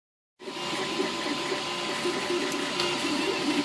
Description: Flashforge makes ticking noises